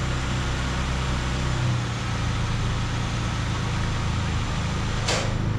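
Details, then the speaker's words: 1994 Honda Accord that surged at idle after a throttle body cleaning, started with the valve refitted but the rest not yet reassembled: a steady, even idle with a constant low drone and no hunting. Normal idle after the repair. "Wow guys, the idle looks really good."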